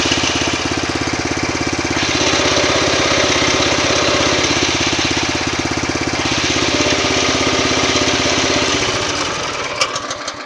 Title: Шум коробки нового мтз